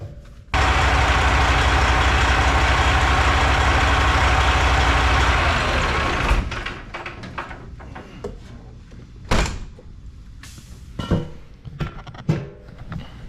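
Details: Old Freightliner semi diesel on off-road diesel, after an injector replacement that didn't fix it and a new fuel filter: fires and runs rough and uneven for a few seconds, then dies; misfire traced to a broken injector harness wire.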